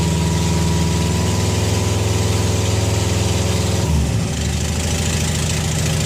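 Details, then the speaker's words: Junkyard engine in a Subaru WRX, first startup right after installation. Even, steady idle pulse with no misses or knocks, then a brief dip before it settles again. Normal idle. "Sounds good though, Ev. Yeah. It lives."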